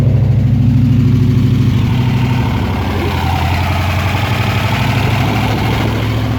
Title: TVR SEAC Wildcat 5.3 misfire